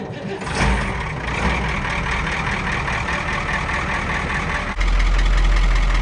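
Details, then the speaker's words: 1977 Leader tipper truck, Caterpillar 3208 V8 diesel (about 10.4 L, 210 hp), Eaton Road Ranger gearbox, cold day: heavy deep diesel clatter catches quickly, settles into steady even run; clean cold start, no misfire. "pretty cold here so it started up pretty well it's only the second day of spring in the starting straight up"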